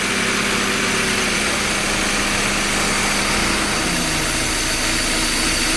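Petrol engine idling unevenly with a wavering tone and some dips in speed; rough idle, cause not evident.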